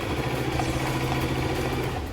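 Steady, fast motor whir with an even rhythm that winds down near the end: the sewing machine runs smoothly at high speed.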